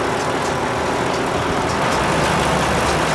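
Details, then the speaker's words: New Holland BR770A round baler after fire repair, with new main drive roller, all new belts and several roller bearings replaced, run to check belt tracking: smooth, even rumble from belts and rollers with no squeal, knock or grinding; much quieter, healthy. "maybe start it up and see how they track oh yeah much quieter"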